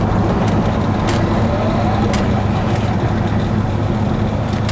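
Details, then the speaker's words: 2004 Ford Mustang Mach 1 turbo, not yet tuned and not building boost, driving with the repaired exhaust cutout (new replacement motor) open: loud, throaty drone over road noise, finally sounds like a muscle car. "oh man that's so good it sounds like a muscle car finally"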